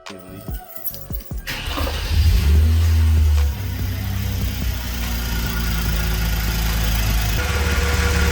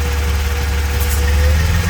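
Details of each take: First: Hyundai Genesis Coupe 3.8L V6 just after catch can install: cranks, fires and settles into a steady, even idle with no vacuum-leak hiss, confirming correct installation. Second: 3.8 L Hyundai Genesis Coupe (BK2) running after a catch can install, with a vacuum port cap pulled off: low uneven idle that wavers and sags as the open port sucks in air, a deliberate vacuum leak.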